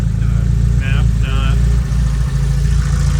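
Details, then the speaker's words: Honda D16 turbo engine idling after installing and degreeing a Speed Factory Savage cam and adjustable cam gear. Valve lash is 8 intake and 10 exhaust, ignition timing is not yet set, and vacuum is about 5–6. A steady, even rumble, stock-sounding with no misses. Normal idle. "uh but I have it idling now I just wanted to show you what the idle quality sounds like I also haven't sit the ignition timing so it could change slightly but still pretty stock sounding pretty good stock sounding"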